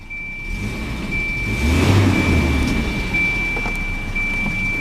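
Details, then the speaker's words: 1992 Volvo 240DL, odometer replaced near 124,000 miles, engine already warm from driving: key start, catches promptly and settles into a steady, even idle with a faint constant whine above; normal start and idle, runs perfectly. "Let's go ahead, start it up. Just insert the key right here. And it starts up absolutely perfect."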